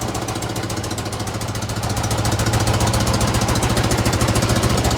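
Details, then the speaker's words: Honda VF1000F V4 motorcycle, first start during revival: lumpy, pulsing idle with hollow uneven beat, dies when revved; rear cylinders not firing, so it runs on two cylinders (front only); misfire at idle. "Sounds like it's running on two spark plugs. When I rev it, it goes out."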